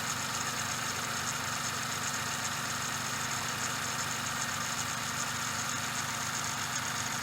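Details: Suzuki Every DA64V engine at idle: a steady hissing, gritty whirr ("shaa/jaa/gorogoro") rides over the idle with no clear knock. Cause is the belt tensioner bearing, likely from having run out of grease.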